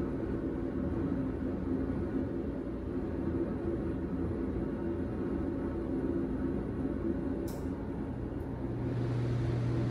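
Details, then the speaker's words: HeatStar 50,000 BTU gas garage heater started for the first time after horizontal vent kit install and gas leak test: constant, even burner roar over a low hum, no pops, flutter or surging; firing normally, some smoke and burning smell. "i started to fire up there guys the burner is going on now pretty exciting"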